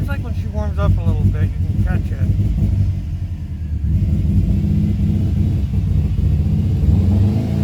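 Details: 2005 Subaru Forester XT being revved while owner tries tuning and wonders if it runs rich; earlier a coil miss, and it smoked out. Uneven, lumpy low-end beat that stumbles at lower revs; rough running, cause unclear.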